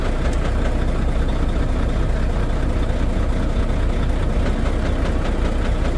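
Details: Volvo D13 diesel, rough uneven idle with lumpy knock two or three times a second and dropouts; misfire and low power from damaged, badly worn fuel injectors, cylinders 5 and 6 noted on removal.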